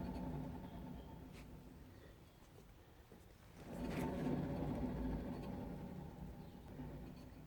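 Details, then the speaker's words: VW Golf Mk3 cabriolet, jacked up, rear wheel spun by hand with handbrake off: low hollow rumble pulsing about four times a second, light drum-pad scrape; worn rear wheel bearing. "but most of that noise I think does sound to me like the bearing"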